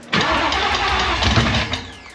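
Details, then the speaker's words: Supercharged Gen 3 swapped 1979 Fox body pace car with 10R80, first start with no tune: short crank, then loud raw bark running unevenly before easing off. "we got no tune yeah no tune whatsoever damn it's loud not too shabby I didn't know if it' run that long"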